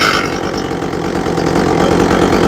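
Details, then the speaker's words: Echo CS400 chainsaw after carburetor high-speed mixture adjustment: steady fast buzz with an even beat and no sag or surging. Normal running. "okay I like the way that sounds"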